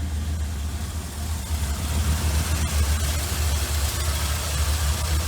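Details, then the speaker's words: Ford F100 with Holley carburetor electric choke, after voltage regulator replacement, charging now 13.45 volts instead of about 17: deep, steady, even idle with a smooth low rumble, no misses, knocks or ticks; normal idle. "all right so the engine's running let's check the uh voltage and it's exactly what it should be 13.45 volts versus the almost 17 or maybe more than 17 in the back now this F100 runs and sounds awesome"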